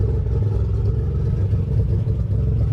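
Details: 1988 Nissan 300ZX Z31 project car, first start since summer 2017, idling, heard from outside: deep low exhaust note that lopes and wavers unevenly; rough idle.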